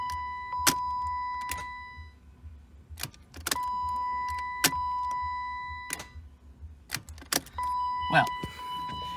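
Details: BMW E36 318is first start after cooling-system plastic connector repair and intake wiring work; only sharp single clicks and dash chime, no cranking, first thought a dead battery but jump didn't help; starter not cranking.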